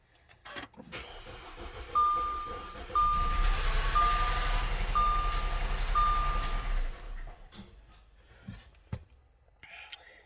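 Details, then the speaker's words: 2.0T Audi flex fuel first start after intake manifold gasket replacement: starter churns about four beats a second for roughly five seconds with a chime overhead; slow to catch, owner suspects fuel still reaching the engine. "Okay, that sounded a little weird. I know it was trying to get some gas to it. That's why it was taking forever."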